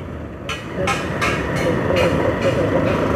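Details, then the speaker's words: Vehicle on a Delhi–Rishikesh trip makes bursts of high rattling about every half second over road noise. A check found the engine fine; something on the right side has come loose. "लेकिन engine में आवाज नहीं है यह आवाज जो है वो कुछ लूज हो गया है इसकी आवाज हो रही है"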